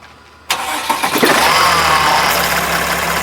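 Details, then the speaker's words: Slow-moving Sprinter van: engine starts to a rough idle and is revved with a quick, uneven clicking on top; drivetrain feels slow and binding, cause unclear. "This thing doesn't sound good. Um, do you hear that noise? That clicking noise?"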